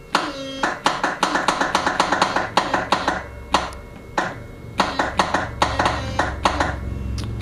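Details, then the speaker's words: Honda Harmony 1011 lawn tractor, battery on charger about 10 minutes: rapid irregular clicks, about three or four a second, with no cranking; owner suspects a stuck starter. "all right so sounds like the uh the starter might be stuck so I'm going to try and get the thing going today see what happens and different things"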